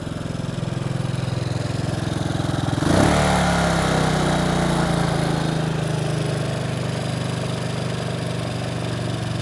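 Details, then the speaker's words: Bombardier Traxter 500 ATV single-cylinder after a carburetor clean and rebuild without a kit: even, steady thumping at a smooth fast idle with a brief rev blip midway; running great. "so in the future I'll probably go ahead and buy the seal kit and the new jets but yeah it's running great"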